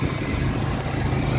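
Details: 2003 Ford Explorer idling after a belt was refitted: a soft, airy whooshing under the hood over the low rumble. The engine is quieter than before, but an alternator whine is starting to be heard at times.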